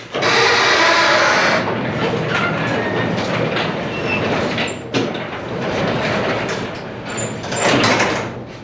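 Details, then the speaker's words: Pole barn garage door, untouched and unlubricated for a very long time, opened before silicone lubrication of the torsion spring, rollers and tracks: loud rattling with sharp high squeaks near the end, dry and unlubricated. "So, it's been a very long time since this door has been uh has had any tuneup work done on it or lubrication. And listen to this."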